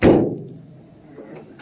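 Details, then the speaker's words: 1992 Mercedes 500SEL trunk lid: a single heavy slam as it drops shut, its weak lid springs failing to slow it; it could use tightening. "can actually use a little tightening because as you can hear how trunks slaps down and that"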